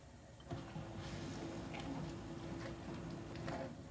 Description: We installed this model after the loud KDFE204KPS grinding noise. We were hoping the KDFE204KPS was just a lemon, but the exact same grinding noise comes from the KDPM604KPS.